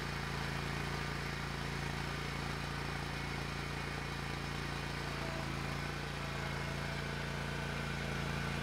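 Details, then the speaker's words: Hustler Raptor SD zero-turn mower after a seat switch fix and battery recharge (it had died when moved and bogged when the mower was engaged); the engine holds a constant, even drone with no surging, bogging or dropouts, normal running. "okay I got bit a little bit of hubris but that's okay mower is working again"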